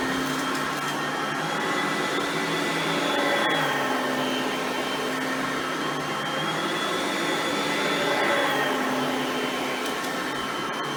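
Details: Oreck XL Platinum lightweight bagged upright on high speed, cleaning crushed stale chips: steady high-pitched whine, even pitch with slight wavering as the head moves. Normal running, quiet direct-air vacuum.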